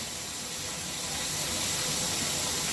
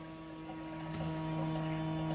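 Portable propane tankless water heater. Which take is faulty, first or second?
second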